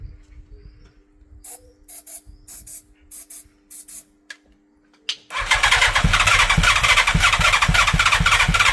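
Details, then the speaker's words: 1987 Yamaha FZR1000 unused 16 years, refurbished carbs fed by a gravity tank hung above them and given easy start spray: short, uneven cranking bursts that won't catch, a bit of exhaust smoke, then it suddenly fires and runs rough and fast; hard starting. "I think it's going to go. Nearly. Bit of smoke came out of the exhaust. What do you reckon? Bit more easy start?"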